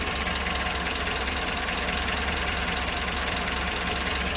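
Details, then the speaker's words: Chevrolet AFM V8 at idle after new cheap lifters installed and AFM deleted in the computer, runs strong with no skips; light fast lifter tick, heard better near the wheel well; cause unconfirmed, motor flush and oil pan drop planned. "And so it runs really good now, and it's strong, no skips, everything is good there. It has a little lifter ticky type sound."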